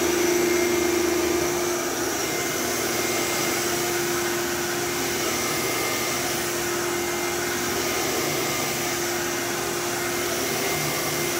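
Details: Old bagless Phantom Thunder vacuum with a dusty motor, running after a tripped reset button was pressed: a smooth, even motor hum with a steady mid-pitch tone and airy rush, no surging. It sounds like new; healthy.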